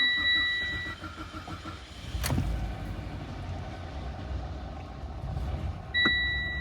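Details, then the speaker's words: Mitsubishi Lancer X 1.6, 211,000 km, CVT, after repair for piston knock and oil use: brief crank, then an even, quiet idle with no knock or tick; chime beeps before and after. "Так, работает ровненько, работает тихо, самое главное. В принципе, сейчас стука никакого нет вообще. Тишина полнейшая."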